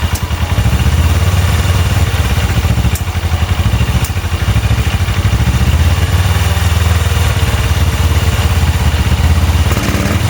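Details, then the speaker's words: Engine swapped onto go-kart/bike: fast, lumpy high idle with clatter, starts only on full choke and won't rev; vacuum leak suspected, covering a vacuum line makes it run better. "So, it'll only start with the choke all the way on. Idle up really high."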